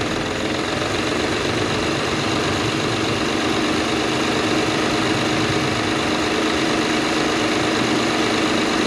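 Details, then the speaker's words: Acura TL after replacing coil and spark plugs for a cylinder 6 misfire (flashing check engine light, rough running): steady, even idle with no skipped beats, sounds better than before; normal idle. "perfect you can hear now how it's not missing it actually sounds really great better than it did you"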